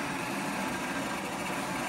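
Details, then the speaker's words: R2D2 droid dome drive running with the dome removed, only the top bolt tightened: an even, constant small-motor whir with no catching, knocking or speed dips; it turns freely and works. "it's working I've only got that top bolt tightened up in the in there but so that's quite a success"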